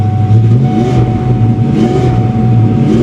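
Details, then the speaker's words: 1993 Ford Mustang GT convertible, auction car unstarted for about a week, weak starter: deep heavy steady idle rumble, exhaust much louder than stock. "come on don't do this God the exhaust is loud"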